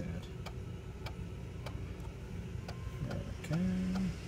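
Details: Macintosh PowerBook 165 floppy drive formatting a disk after initially sounding rough: steady light clicks about three a second as the head steps tracks, then a brief seek whir; formats successfully, drive working fine.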